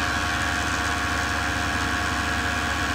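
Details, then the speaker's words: Milling an aggressive 3mm chamfer on a shop phone-holder part, feeds and speeds dialed in to avoid chatter; steady even cutting hiss over constant motor hum, no squeal or ringing, clean chatter-free cut. "Here's the big 3mm chamfer on this part. Same story as last time, it's pretty aggressive, but I got the feeds and speeds dialed in about right to avoid chatter."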